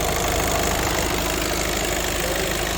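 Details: Audi A3 diesel idling steadily after injector seal replacement for oil and diesel leaks at the injectors, with an even, regular clatter and no uneven knocks or misses; engine sounds healthy and settled.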